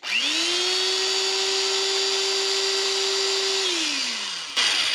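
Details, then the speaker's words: Old electric drill that belonged to the owner's father, free-running after being flooded with oil: the motor spins up to a steady, clean high whine, holds even, then winds down smoothly. It sounds healthy, and the owner thinks it sounds better than before but is unsure. "well I can't complain that it hasn't been lubricated just pour it all over and let it soak in well let's see what it sounds [Music] like that actually sounds better"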